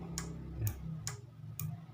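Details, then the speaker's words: Motorcycle turn-signal flasher relay, the original unit plugged in for testing: crisp, regular ticks about every half second with an even beat; flasher still works normally. "Das bedeutet also, dass dieser Blinker funktioniert, okay? Er eignet sich immer noch als Blinkerblinker, der ursprüngliche kann immer noch verwendet werden."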